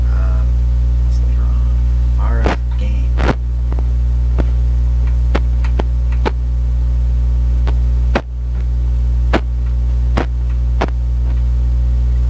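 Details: 85-year-old National HRO receiver, B+ at 175 volts after B+ switch fix: loud steady mains hum with dial clicks, no stations at 10 am; hum suspected from never-serviced power supply.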